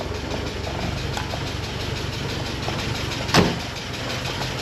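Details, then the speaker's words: 1985.5 Porsche 944 non-turbo, long unused, first running after replacing two reference sensors: lumpy, uneven idle with stumbles; owner suspects an injector and lifters not yet pumped up, with good oil pressure. Cause suspected, not confirmed. "And she's alive, but she's not happy. Doing an injector. Maybe a little unhappy."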